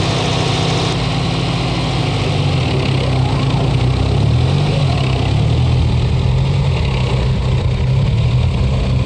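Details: 1984 Chrysler LeBaron, Mitsubishi 2.6 with Mikuni carburetor, temperature-activated choke wide open, some lines deleted: low, heavy idle with uneven lumpy beat and steady deep rumble, not settling; cause unknown, typical Mikuni idling problem. Rough idle.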